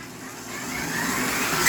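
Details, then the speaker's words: Tyco Grand Trunk Alco C430 locomotive with power torque drive running rough before cleaning and oiling: small motor whirs up, then a brief high squeak cuts in; intermittent drive squeak, cause unconfirmed. "There it went, there it went. You can hear that little squeak."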